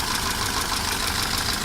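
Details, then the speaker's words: 1988 Mercedes 190E, 2.0-litre engine at idle: dull, even top-end tapping in time with the idle, loudest right after start before oil pressure builds; owner suspects camshaft play in its bearings or hydraulic lifters, not confirmed. "Но такой глухой такой стучок. Особенно его слышно, когда заводишь только двигатель, когда еще давление масла не пошло. Отчетливо слышно это ток-ток-ток-ток-ток-ток."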